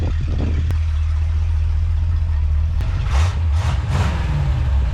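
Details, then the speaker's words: 1931 Ford Model A with Edelbrock 1405 carburetor, after fixing a float problem that flooded the engine: even, steady low idle drone, then clean pickup on throttle blips with no stumble or misfire; running normally. "Running good. Sounds good."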